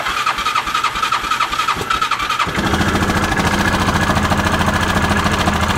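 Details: Bennche (Hisun) 500 UTV in neutral after clutch, fuel pump and throttle body work on a knocking, smoking motor: starter churns about two and a half seconds, then a steady, even idle with no knock; clutches stay still.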